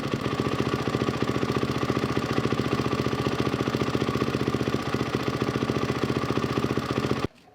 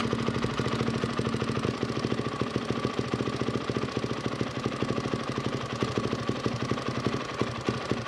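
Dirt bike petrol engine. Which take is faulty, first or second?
second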